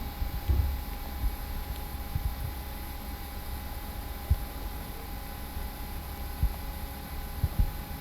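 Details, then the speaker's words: MSI GS66 Stealth gaming laptop: quiet machine with a thin, steady high-pitched whine and a constant mid tone under faint thumps; the sample showed coil whine, and fans keep ramping up even in silent mode. "But I'm also gonna roll this clip right over here because on my sample, I was able to notice coil whine as well, so yeah, that's just unfortunate."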